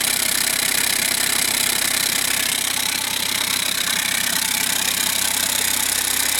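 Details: 2009 VW Jetta TDI, CBEA diesel: idling with a sharp, regular puffing rasp about twice a second as exhaust escapes through the open EGR pipe, which keeps it running.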